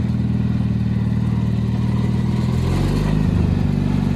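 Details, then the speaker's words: Gravely tractor engine running in December before storage, starter known to be temperamental: steady low even thumping with slight speed change near the end, no knocks or misses; engine runs healthy. "there we go I thing runs mint mint the grass looks so nice right now you could prob probably cut it"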